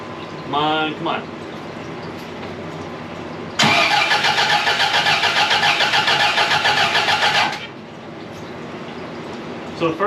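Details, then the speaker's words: 1982 Fiat 124 Spider with a twice-rebuilt engine, first start attempt after setting valve clearance: about four seconds of steady cranking that never catches; ignition timing seems slightly off, to be tweaked at the loose distributor. Fuel pressure reads high. "it seems like we're not quite on the time so it's a good thing we left our distributor loose and we're just going to tweak that little by little"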